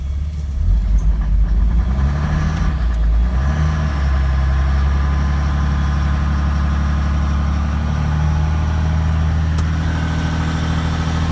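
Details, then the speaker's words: 2006 Cummins diesel with sudden onset symptoms: uneven loping idle, beat rising and falling irregularly with no steady rhythm; not a lope tune, owner suspects a bad injector, possibly misfiring on one cylinder. "So I think I have a bad injector. That is not a lope tune."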